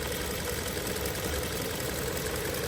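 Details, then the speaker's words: 2023 Hyundai Tucson at 23,000 miles, recorded inside the car, over 1,000 miles after adding Snake Oil additive: even, steady idle with no ticks or knocks above the hum; quiet, smooth normal idle. "Nice and smooth. Nice and smooth. This is 23,000 miles. This is the sound in the car."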